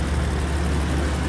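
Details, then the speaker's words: 1991 BMW E31 850i V12 with 6-speed manual, revived after 7 years off the road, idling after 35 miles of driving: deep, even burble with no misses, knocks or ticks and no oil-burning smell; a healthy normal idle. "let's hear the engine up 35 miles still working beautifully and it still sounds"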